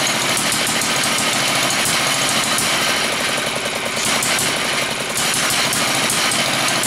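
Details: Villiers MK10 two-stroke engine, two sparks per revolution, test run: rapid string of sharp, crackling pops over a tinny high engine note. Running strongly and evenly.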